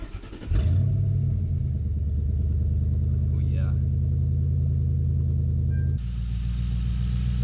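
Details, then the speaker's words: 2005 Mercury Grand Marquis V8 just after all eight spark plugs were replaced with iridium plugs (new belt two weeks earlier): it catches and settles into a smooth, even idle with no misfire heard. "good and healthy it's not misfiring i don't believe i don't hear a misfire anyway"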